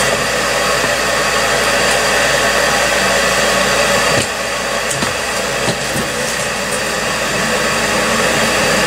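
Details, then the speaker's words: York furnace after repair for four-red-flash fault: steady rushing airflow with even blower hum and a couple of soft knocks; ran about half an hour without shutting down, problem fixed. "okay it's been running for about a half hour now and it hasn't shut down yet so it looks like the problem is fixed it would have shut down by now for sure"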